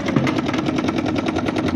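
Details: Panasonic washing machine with noisy gearbox: fast, steady rattling knock throughout the cycle over the motor noise; repairer suspects it comes from underneath, likely the gearbox.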